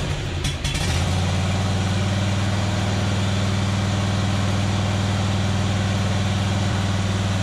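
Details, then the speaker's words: John Deere Z425 zero-turn mower, swapped engine, after carburetor cleaning, warmed up, choke off: even steady low thrum at idle, no misses or knocks; smooth normal idle. "sounds reasonably good so I don't think I'm anything worse so I think I may have made it a little bit better"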